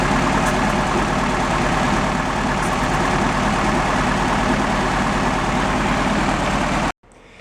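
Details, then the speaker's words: 1971 VW Beetle convertible: fast, chuffing idle with a slightly uneven beat, then it shuts off. Compression tested under 50 psi where at least 100 is expected. Low compression cylinder. "But, we weren't over 50 lbs and we should be up around at least 100."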